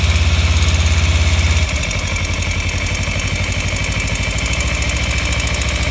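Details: 2015 Kawasaki Ninja 300 twin, warmed up after a short ride: after the start, the idle settles into a quick light tick, about three a second. The ticking began a month or two ago; owner suspects the cam chain tensioner or loose exhaust header bolts.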